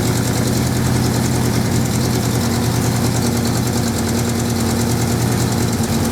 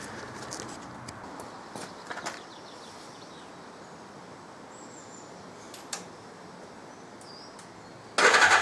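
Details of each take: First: 1979 Suzuki GS550E four-cylinder just started after about five years laid up, on old fuel: fairly steady idle with occasional uneven exhaust pops; carbs not blocked as feared, but running slightly rough and due a tune-up. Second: 1979 Suzuki GS550E laid up for about five years: a few quiet clicks, then the engine catches about eight seconds in and settles into a loud, steady run. It starts and runs fine.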